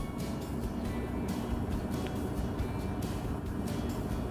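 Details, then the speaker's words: Volvo FMX 440 truck diesel at low idle set to 600 rpm via instrument panel: steady, even low rumble with no surging or misses, music behind; normal idle. "Nah bisa kita lihat pada instrument panel disini RPM sudah tersimpan sebesar 600 RPM"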